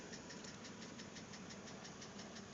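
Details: 2006 BMW Z4 3.0si idling, heard from the cabin, about 19,066 miles: sharp, regular ticking knock about six per second. The lifters were already replaced with no change, and the owner hopes a head replacement cures it; cause unconfirmed.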